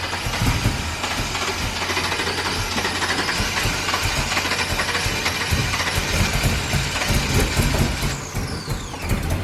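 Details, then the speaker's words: Ford F-350 ramp truck with a swapped 8.1 big-block V8 on the stock ECU, first start, cold: cranks, catches and settles into a deep steady rumble with light blips; normal start and idle. "yeah there we go he's got some rumble to it that sounds pretty damn good"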